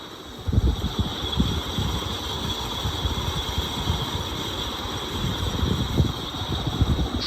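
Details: 1994 GEC 120cm ceiling fan from a demolition sale, in the worst condition, running fast on high: uneven low rumble and irregular knocking under a steady hum from very badly worn bearings.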